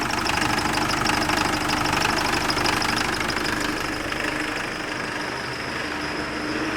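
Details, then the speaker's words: Nissan Frontier diesel, manual transmission, with hard first morning start, lack of power and engine noise: fast steady clatter over idle; cam/crank sensors out of sync, stretched timing chain with broken tensioner guide; timing chain noise. "Esse é o cliente nos relatou que dificuldade de pegar de manhã na primeira partida falta de potência e também barulho no motor"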